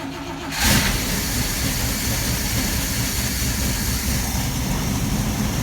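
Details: 1965 Clark Cortez motorhome V8 after briefly charging dead battery; short crank, engine catches and settles into steady, even idle with no knocks or squeal; normal start and idle.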